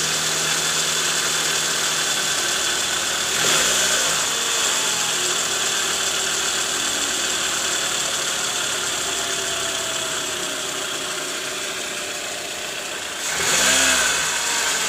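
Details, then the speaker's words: Toyota Alphard 2AZ-FE, after replacing a worn balancer shaft with play at gear no. 1 that caused rough cold-start noise near the oil pan, heard from below the engine: steady smooth idle, no knocking or roughness. "Oke Guys sekarang bunyi mesinnya udah halus ya jadi terbukti bahwa yang menyebabkan bunyi kasar di area mesin pada kasus Kali ini yaitu dari balancer shaft Kondisinya sudah oblak"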